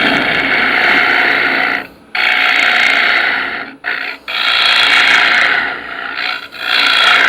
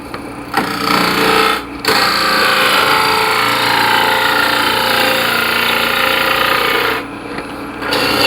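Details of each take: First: Wood lathe turning a sphere: hissing tool cut with a faint rapid chirping vibration about four times a second, indicating a crack somewhere in the workpiece. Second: Sharp gouge on the lathe turning soft poplar for a sphere: steady, even hiss of long shaving passes with brief breaks between cuts, cutting cleanly with no tearing.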